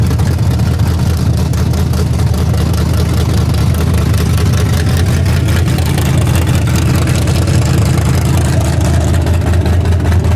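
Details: Freshly torn-down and rebuilt 406 V8 breaking in, 5 min 15 s into a planned 15-minute run: loud, steady, deep even rumble at high idle, no knocks or ticks, healthy. Open plenum fitted; crew thinks it may need a bigger carburetor.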